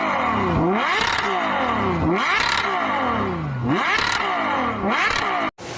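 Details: Genesis with 3.3 engine: a whine climbing with speed under acceleration, dropping at each shift and climbing again; suspected differential hum, not confirmed.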